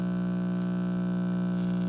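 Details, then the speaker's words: 1947 Travler transformerless AC tube radio at switch-on: loud, constant low buzz over otherwise working reception; mains hum from a typical failed filter capacitor. "So this is a pretty easy fix. This is just your typical filter capacitor failure."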